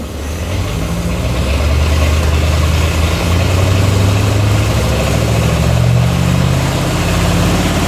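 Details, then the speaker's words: 1945 Cadillac flathead V8 with a rebuilt 1945 GM Hydra-matic from an M24 Chaffee tank, no-load bench test at about 2600 rpm: steady hum with a slight hesitation as clutches and bands release and apply; a normal, clean upshift. "I hope you heard that the uh you can hear a slight the engine hesitates I guess there's a little bit of drag as uh as the clutches and bands uh release and apply"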